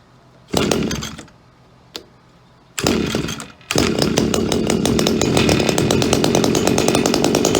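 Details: Echo SRM-2400 two-stroke string trimmer, believed mid-1990s, cold start with choke out and primer pressed about six times: a couple of pulls, catches and settles into a steady crisp buzz; starts easily, runs normally.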